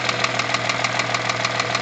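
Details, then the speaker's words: Rover 75 with 20K4F V6 at idle; sharp even ticking about six to seven per second from the head nearest the cabin; two metal debris pieces found in cylinder 5, one caught under a valve, left from earlier camshaft work; valves replaced; valve knock. "Вот где-то вот здесь вот стук. Вот оттуда откуда-то идет."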